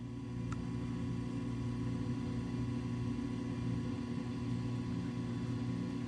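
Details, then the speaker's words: Coleman DGAA056BDTA furnace after replacing the combustion blower motor, which had caused a three-flash "combustion air switch failed to close" error. Burner lights with a steady low hum and soft even whoosh, no rattles, pulsing or squeal. Normal burner operation after repair. "oh there it goes and there you are ladies and gentlemen you have fixed your furnace"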